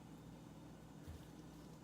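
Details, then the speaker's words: Samsung RF267 freezer after defrosting the iced-up evaporator by unplugging and heat gun: soft, steady low hum with no ticking or scraping; evaporator fan blowing cold air again normally. "I would not do the the unplugging it is so good to hear that fan on"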